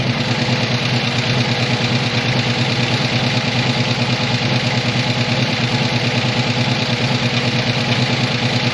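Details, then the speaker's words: 1985 ASC McLaren coupe V8, newly built engine, just started for the first time since 2002: steady idle with fast, light clocking from the top end that follows engine speed; owner unsure whether the lifters are rollers, cause unconfirmed. "all right i do hear a lot of uh well i hear a lot of clocking out of the the top end here which isn't great"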